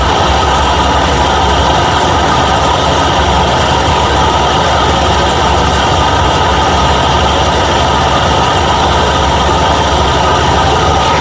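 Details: Steady smooth idle of a Ford F100 351 Windsor V8 with C4 transmission after fitting a new carburetor, spacer and new gaskets; no misses or hunting, runs great.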